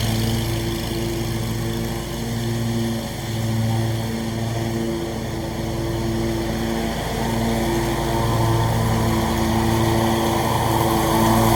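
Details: Scag mower with a brand-new Briggs & Stratton engine, blade belt reinstalled to test the blades: even, steady drone at constant pitch, no misses or knocks; normal running.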